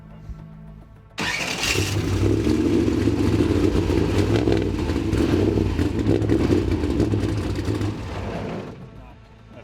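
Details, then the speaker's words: Trophy truck race engine started after laps, running rough and loud with a hard, uneven knock under the exhaust roar; not yet diagnosed, crew suspects a bearing and notes a big rattle on shutdown. "quite diagnosed it yet it's not a good sound i can't describe it but it's a bad knock"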